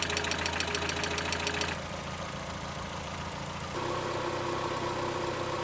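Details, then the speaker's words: Mazda Miata on a cold start after a Rislone engine treatment and PCV valve replacement: idle with light, fast lifter ticking, louder when cold, quieting once revs settle back to normal. "went and bought another treatment so I'm gonna put it in because I actually had a cold start you can kind of hear the ticking a little bit louder but after the RPMs get back to normal they all quiets down"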